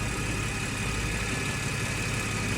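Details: 2014 Ford FG XR6 six-cylinder idling after alternator and power steering O-ring replacement, now charging about 14.5 V: steady, even idle with no misses, knocks or whine; normal idle.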